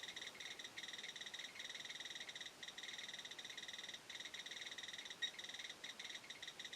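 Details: Chinese BR-6B Geiger counter side by side with a Soeks 01M on a mildly radioactive sample: fast, dense run of sharp little clicks; counting normally and accurately.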